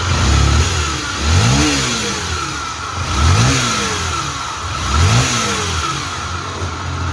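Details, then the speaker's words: Honda XRE 300 / CB 300 single-cylinder bike, blipped three times: steady humming whine over the exhaust from the worn crankshaft bearing on the stator/flywheel side, a chronic defect (not the cylinder head). "Esse barulho galera ele é um defeitinho crônico tá dando nessas motos no rolamento do virabrequim desse lado aqui"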